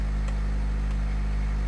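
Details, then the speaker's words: 1989 Honda Prelude petrol engine, first start after fixing a wiggling cam gear with cooling fans not working: steady, even idle with low hum and only a faint light tick, considered normal. "That's within the realm of what I'd consider normal, though. Oh, it sounds great."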